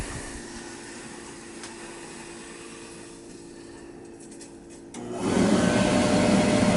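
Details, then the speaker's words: Boiler burner lighting on a zone one call through the blue wire, after the system was refilled and purged with a new 40-gallon Megastor tank installed: low hum, then a clean, steady roar at about five seconds with no sputter; normal ignition. "Goes the burner. It's firing through this blue wire. Zone one. It's calling for this zone one."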